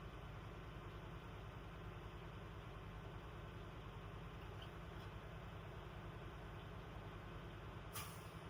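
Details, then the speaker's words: Class A truck with automatic transmission during CDL pre-trip air test: steady diesel idle while air builds, then a sharp hiss near the end as the governor cuts out; normal air governor cut-out. "My governor kick out. I hear the hissing sound. Was a good test?"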